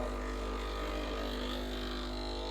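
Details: Breville Barista Express BES870 after descaling and cleaning, pulling a 36 g double shot: steady, even low pump hum with constant pitch, no sputter or strain, and good gauge pressure. Normal pump operation.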